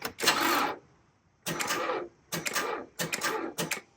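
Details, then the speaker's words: Car battery reading 11.06 V with 0% health and charge, during a tester cranking test: four or five short, labored cranking bursts that stall without catching; dead battery, exhausted by one earlier start 10 minutes before. "Well, that sounds like a dead battery. So starting the car 10 minutes ago to get it moved in front of the garage bay was all it could handle."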